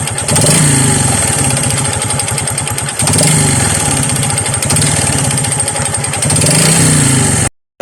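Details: Honda XRM 125 before overhaul, kick-started: fast, steady knocking over the engine beat with a hollow, choppy rumble underneath; a damaged connecting rod knocking plus piston slap, later fixed with a new rod set, and the block needs reboring.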